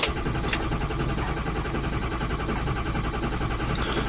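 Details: 2005 Ford F-350 6.0 Powerstroke that died while driving: steady starter cranking at roughly eighty pulses a minute, never catching, injection control pressure far below normal on scan tool, oil problem suspected; crank no start.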